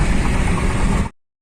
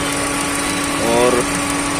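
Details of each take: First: Maruti Suzuki SX4 petrol at idle after repair: a steady, even low rumble with no stumbles or misses. The earlier fluctuating RPM, jerking and poor pickup are solved. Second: Maruti Suzuki SX4 petrol engine with low pickup and jerking: steady idle with a rough, shaky vibration as one cylinder drops out, ignition coil found shorting; engine misfire from shorted ignition coil.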